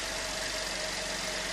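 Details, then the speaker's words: 2013 Chevy Impala after water pump replacement and coolant top-off, meant to stop a squealing that came with revving: even, steady idle with a smooth hum, no squeal or knock; normal idle. "Okay, before the GoPro batteries go dead, let's give her a start. Topped her off. And she sounds good."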